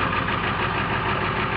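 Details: 1995 Ford F250 Powerstroke diesel, 5-speed manual, 225,000 miles, cold start at about 32°F with no block heater after repeated cranking and smoke: rough, uneven clattery idle; owner suspects bad glow plug relay or connection.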